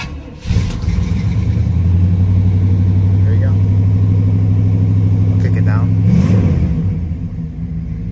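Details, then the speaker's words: 1970 Pontiac Grand Prix Model J, 400 V8, Turbo 400 transmission: one pump of gas, quick catch on start, then a deep, steady, even idle with a short blip near the end; runs healthy. "Yeah, there we go. Got a nice sound."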